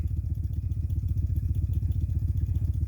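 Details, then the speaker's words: Sony TC-206SD tape deck on play, line out via RCA to amp aux input: steady low throbbing pulse, about two beats a second, left channel, oscillating higher as line-out volume rises; suspected preamplifier fault, unconfirmed. "And we get this sound coming from there. I'll turn up the volume and I get the sound from left channel. When I increase the volume on the line out, it actually oscillates higher."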